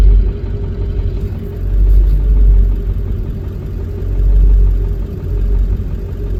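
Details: Ford 7.3 diesel with IDM code P1316: deep diesel idle with an uneven, lumpy beat and surging rumble, rough idle.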